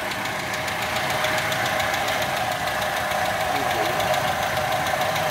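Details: Toyota Kijang 5K engine running at idle, light fast ticking a few clicks per second, steady with engine speed; loose valve clearance, tappets need adjusting.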